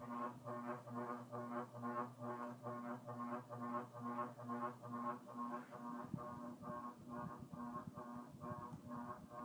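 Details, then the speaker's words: Early-mid 80s Carroway EF-100 ceiling fan, 0.68 A, on medium, missing bracket suppressor: loud buzzing drone throbbing about twice a second; vibration from mounting bracket, not motor windings. "yeah no and that's not windings that's that's the bracket because it wasn't like that"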